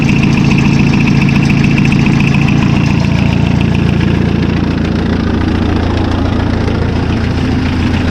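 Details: Massey Ferguson Super Pony tractor diesel after a spi (oil) seal and timing repair: an even, rapid firing beat holding steady at idle, no misses or knocks. The spi seal isn't leaking. Normal idle.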